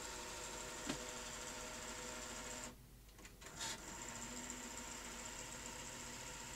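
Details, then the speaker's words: Sony Betamax SL-T30ME multistandard front loader: tape goes in but lace-up only sometimes completes, stalling with a busy whirr and rough uneven grinding chatter; mechanism driving loading carriage and lacing rings uses pinch roller solenoid acting on planetary gears. "but when i tried to load a tape well sometimes it works and sometimes it doesn't so on that occasion it did let's try it again oh listen to that noise"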